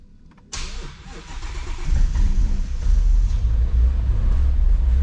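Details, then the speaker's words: Shelby GT350 first start after oil pump gear upgrade, Gen 5 Whipple supercharger install and new tune, oil primed by cranking: cranks briefly, catches at once, settles into deep even rumble, no misses or knocks; normal start and idle. "Okay, it runs. It's a good sign."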